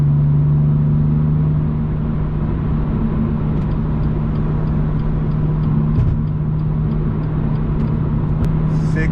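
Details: BMW M2 with M Performance exhaust and silencer inserts fitted (fiberglass wrap advised), valves closed, comfort mode, highway cruise heading to 3,000 rpm: steady, subdued low hum with no booming swell; drone kept in check versus an earlier reading thought to be 72 dB.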